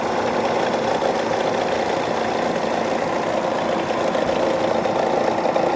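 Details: Engine noise at idle on a Chevrolet Cruze/Sonic: a loose tapping of about three or four beats a second over a steady idle; cause unknown.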